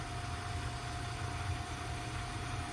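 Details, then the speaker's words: Hot-water gas boiler with fixed-air burners (no air adjustment) on autumn pre-season check, just after ignition: steady soft low roar with a constant hum, no puffing or rumbling surges; normal burner operation, nice blue flame. "weird he was a nice smooth ignition [Applause] flame looks good you want a nice blue flame everything looks good"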